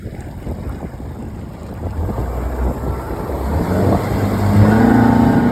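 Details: Mercury 115 outboard after a bad injector and shift switch were dealt with: runs steady and even on the water, revs climbing smoothly under some wind rush, no misfire or stumble; sounds healthy.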